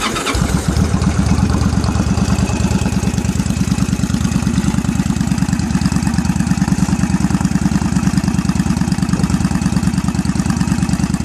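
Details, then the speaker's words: 2001 Yamaha V-Star 1100 Classic, about 6,000 miles, just back from shop with clutch pack cleaned: cold start, V-twin thumps unevenly at about three pulses a second with popping; owner suspects lean running or choke issue. "Still cold. I don't know what's going on with this fuel. The choke. I don't know what's up with the choke. Maybe she's running too lean. That's why she's popping."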